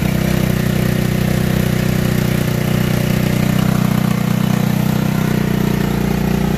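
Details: Tao Tao Racer scooter after a battery and valve adjustment, running again after a no-start: a steady, even putter at about four beats a second with no misses or rattles, a clean idle.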